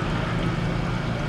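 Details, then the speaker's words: GE GLD5500L0WW dishwasher main wash motor running, unit shuts off after a minute or two: steady deep rumbling, grumbling hum; motor bearings likely going bad, tripping the thermal protector. "so it sounds like the the the bearings are going bad on the motor and with the increased resistance of that it will inevitably trip the the thermal protector and turn the unit off"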